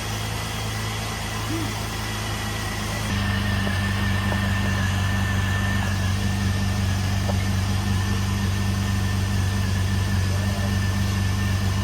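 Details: Jeep Liberty engine after valve cover seal work, just restarted after two years sitting, penetrating oil burning off exhaust bolt: even low idle hum stepping up slightly and holding steady, no misses, ticks or knocks; normal idle.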